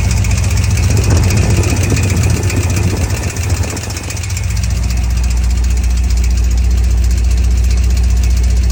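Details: 2003 5.3L LS V8 food truck on a Holley Terminator X Max; it previously ran so rich without an O2 sensor that it fouled the plugs, which were cleaned. It picks up, then drops to a steady, even idle with no misfire or knock, now running cleanly.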